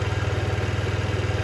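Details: 2007 Diamo Retro 50 GY6 scooter with a new intake tube, running after a starting-fluid start with fuel flowing; owner suspects valve adjustment. Steady, even putter at about fifteen beats a second, no knocks or rattles. Normal idle.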